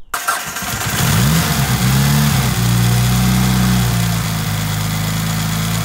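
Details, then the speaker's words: Rebuilt 2.37 stroker 4G63T Mitsubishi Lancer Evo 5, first start, cold, no fault codes: cranks briefly, catches cleanly, settles into steady even idle with no misfire or knock; running healthy. "so there we go I thought I've actually can hear me but the engines running you didn't hear our Quay is running absolutely mint so just gonna warm it out now let get off a cold start"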